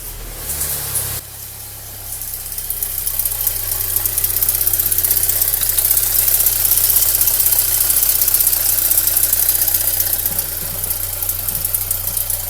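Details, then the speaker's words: Audi A3 at idle, noise under the hood quieter once warm; suspected camshaft-linking chain, injection pump tappet or cam phaser, most likely the phaser: fast even metallic ticking about four per second. "и что то мне подсказывает что это цепь соединяющий распредвалы либо толкатель тнвд либо фазовращатель ну все в этом узле потому что оттуда звук больше неоткуда"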